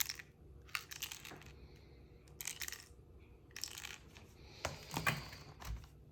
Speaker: I have my MX Keys keyboard which is have it has a rattle within the keys and there is the serial number zoom in it's a serial number and part number and the rattles coming from inside this area here